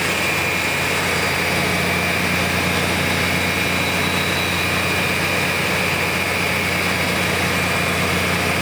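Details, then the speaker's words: BUCKETMOUTH forestry stump grinder, 1.2 m wide, 1.7 m high drum over 6 tonnes, after startup: steady heavy low drone with loud rushing roar and faint high whine, even throughout; drum running smoothly at speed. "Through this process, the drum will start up to idle speed of the motor, which it is just achieving now. And then you'll hear it go through its second phase to full revolution."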